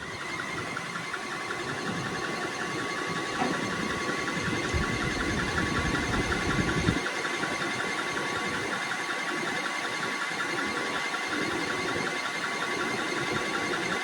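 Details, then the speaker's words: Liebert HVAC unit in a server room: light repeating chirp and squeak about three a second over steady fan rush; blower belt slipping from loose belt or bad pulleys, airflow about 1106 ft/min before filter and belt service. "So now you can hear a little chirping sound from that belt, a little squeaking sound, but see that? The belt's slipping either because of bad pulleys or because the belt's just loose."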